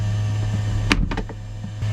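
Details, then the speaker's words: Waste tank power ventilation fan newly fitted to a 2015 Tab Max S trailer; steady low fan motor hum with a few handling knocks midway, smooth and even, mild background noise; normal running. "The other thing is that a lot of people, I am personally, I like to have a little bit of noise in the bathroom. I call that privacy noise."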